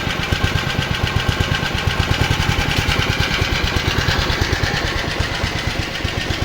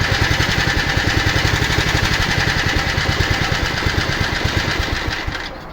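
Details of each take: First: Honda HR215 lawn mower, previously seized engine, after idle adjustment, no smoke: quick, even exhaust pops with steady spacing, no misses or knocks; normal idle. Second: Honda HR215 lawn mower, previously seized engine, after about 15 minutes idling without smoke: low chuffing idle about four beats a second that stumbles and sags as if about to quit, then keeps running; uneven idle.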